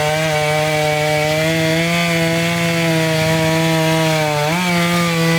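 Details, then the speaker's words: Chainsaw cutting a dirty, sandy log that was partly cleaned first: a loud, steady drone under load that sags slightly as it bites. The chain is getting dull from the sand. "all right so definitely getting dull as we go"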